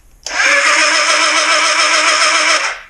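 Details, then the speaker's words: 1981 Suzuki GS650GL during rebuild, cranking on a substitute good battery: strong even starter whir held about 2.5 seconds without sagging; turns over freely, confirming the old battery was bad. "but man was that a lot more power holy heck so yeah I'm going to say that battery shot okay let's see if she'll turn over better"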